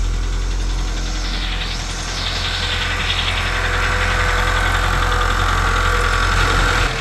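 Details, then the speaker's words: Volkswagen Jetta at idle after reconnecting a forgotten PCV valve: a light, fairly even tick of about three or four per second over a steady idle, suspected lifter, not confirmed; oil smoke from the balance shaft tensioner area followed. "still have a little bit of a rattle that sounds like a I don't know [Music] lifter she's not"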